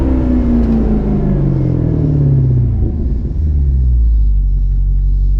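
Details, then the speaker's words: Maserati GranTurismo, engine warm: deep, strong exhaust note with pitch dropping smoothly through a hard-throttle pull, no misses or knocks; healthy engine. "that is why you buy a Maserati Grand Turismo it makes all the problems that the car is experiencing pretty much just nonexistent cuz that's all you need to listen to"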